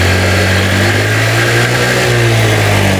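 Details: Honda Vario scooter with hard starting and surging revs, warmed up, valves and compression good, new battery fully charged at 12.5 V, charging about 14.5 V while revved: steady low hum holding even pitch, no misfires or surging; runs healthy.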